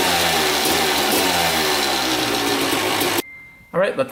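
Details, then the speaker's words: 2000 Suzuki RM250 two-stroke after welding underside of expansion pipe: even idle and blips, crisp without earlier open rasp, then shut off; weld holding, no leak, run about 10 minutes, oil not milky so water pump seal likely good. "run for about 10 minutes the pipe is fixed on the bottom it doesn't leak out there so the weld is holding up good"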